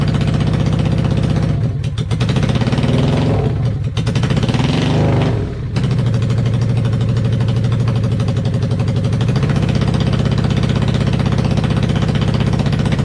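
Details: 1995 Honda VLX 600 being rebuilt, carbs cleaned: a few throttle blips, then a steady, even V-twin idle with no knocks or misses. Running healthy, though charging reads about 12.2 V at idle; stator or rectifier suspected.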